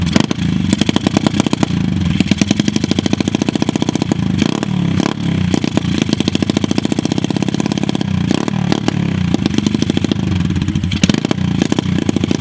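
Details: Lake-recovered mini pit bike after first oil change (milky oil drained) and fresh oil: steady, even popping exhaust beat with crisp throttle blips, no knocks or rattles; carb still needs tuning; runs healthy.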